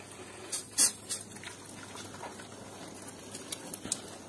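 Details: Combi boiler radiator being bled during pre-winter maintenance with the bleed valve opened: irregular hissing spits and watery crackles as trapped air escapes with some water; steady water flow means the air is out.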